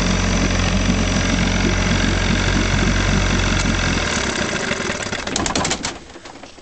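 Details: 1956 Johnson Javelin 30HP RJE-18 two-stroke outboard, new carb kit and full ignition, unrun 20–30 years before repair, pressurized fuel system: fires on choke in neutral with quick, even beat, then winds down; normal running.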